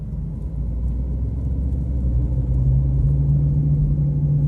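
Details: Humming while driving, heard from about 30 km/h to 70–80 km/h on a straight then fading: deep rumble with steady low hum rising in pitch as the car speeds up; left wheel bearing suspected.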